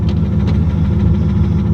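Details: Turbocharged Ford Mustang Bullitt after returning from Mexico: deep, steady knock pulsing under low idle rumble each revolution; owners debate it runs too smoothly for rod bearing, maybe timing chain guide or head. Rod knock.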